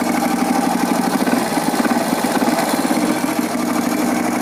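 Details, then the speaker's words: Honda motorcycle engine at idle before valve adjustment; light, quick "tak-tik" ticking over the idle from incorrect valve clearance, needs valve adjustment. "suara dari penyetelan katup yang tidak tepat. Kalau kita dengar, dia suara dari mesin, dia akan meritik taktik taktik taktik taktik."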